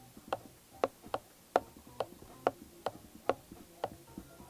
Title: inboard M1 Hub Motor Crackle / Clicking Sound Test Issue